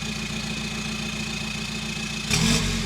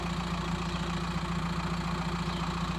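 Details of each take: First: VW T5 Transporter diesel, 287k miles, straight-piped after the exhaust was cut off: steady idle, then blips with a louder, rawer rasp and rumble, but not as loud as a petrol; straight-piped diesel exhaust. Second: VW T5 Transporter diesel, 287k miles, idling outside with a homemade stainless exhaust; owner may add another box if too loud: even, steady idle, deep smooth exhaust note, no knocks or misses; normal idle.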